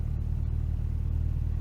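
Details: Humber Sceptre after replacing carburettor jets, test run a little smoky, smelling hot, in neutral: low, even idle rumble holding steady with no stumble or stalling.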